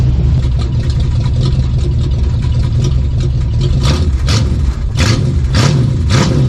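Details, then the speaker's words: 1972 Plymouth Fury III, 360 V8, 727 Torqueflite, newly fitted four-barrel intake and Edelbrock four-barrel carburetor, mixture screws about 2.5 turns out; cold with choke wide open, now idles on its own; deep even burble, clean throttle blips; healthy. "You can see here, choke is wide open. Even while it's cold, it's idling. Wow, that don't sound half bad, y'all."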